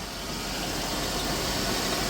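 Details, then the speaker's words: The mother's car, shown alongside the Trailblazer project, with a freshly fixed key, probably on bad gas, missing a transmission part and a cap: a steady, even engine note with no knocks or stumbles; the engine sounds healthy. "So, yeah. Sounds good though, don't it?"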